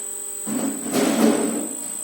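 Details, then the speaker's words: Repaired frequency drive (inverter) with its board replaced, driving a connected motor. A thin, steady high-pitched whistle at one constant pitch comes from the drive. "Обращаем внимание на свист. Видео записывается для того, чтобы услышать этот чудесный свист."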